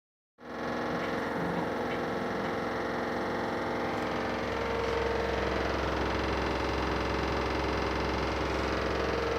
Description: Noticed recently my LG makes a tapping noise when spinning loads are not unbalanced.